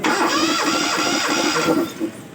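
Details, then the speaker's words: Engine cranked with a compression tester in cylinder 1's spark plug hole, which read 13.5 bar. Even, rhythmic starter cranking for about two seconds, then it stops. Normal cranking. "Yang pertama kita akan masukkan ke lubang busi silinder pertama. Nah, selanjutnya kita starter."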